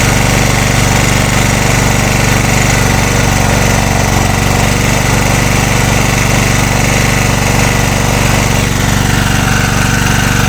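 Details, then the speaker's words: Engine running on gas (LPG) after the head was machined for gas to shrink the combustion chamber, under a kilowatt electrical load: loud, shaky, uneven beat about four a second; it runs rough and worse than before the machining. "не знаю нічого нічого в лучшу сторону не помінялось та росточка його трусить начало це тільки на кіловаті сказав що він стабільний робе"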